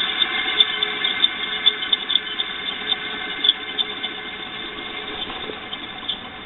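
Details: Electric motor with noisy bearings after oiling front and rear oil ports, turns over easier: high, steady squeal with faint ticking over the motor hum persists; noise from worn front and rear bearings.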